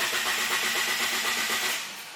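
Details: 1000 hp GSX with 1G ECU running E85, stock ignition swapped in for testing, no wideband fitted, after an ECU tune change: starter spins fast and even for two seconds with no firing; cranks but won't start, cause unknown, bad ECU capacitors suggested.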